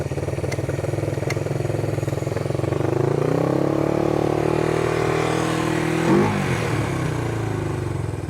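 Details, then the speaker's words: $125 1973 Honda CB360 project on a makeshift fuel tank, clutch seized: the twin revs unevenly, hangs, then drops back with a lumpy beat; running rough, idle sticking now and then. "Okay, so we have this guy running. It's not running very well."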